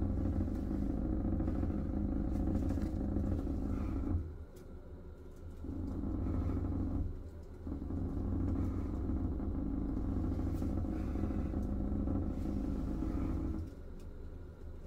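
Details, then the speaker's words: Ventilation fan running: low droning hum with coarse buzzing rattle that drops out when touched; ceiling panel vibrating because spare tiles were simply laid on top of the SMC ceiling, the cause of the noise. "자 지금 보시면 환풍기가 돌아가면서 지금 이 최종 계통이 진동이 생기는 데요 그렇게 만지면 안 나고 요 만져도 안나고 이쪽으로 지금 소음이 많이 하거든요"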